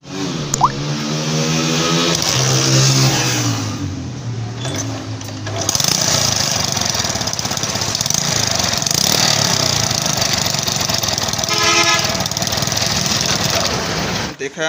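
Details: CD 70 Chinese bike: small single runs loud and raspy with a hissing, chuffing edge at the silencer joint; exhaust leak from a worn or missing silencer seal, to be fixed by fitting a brass insert inside the silencer.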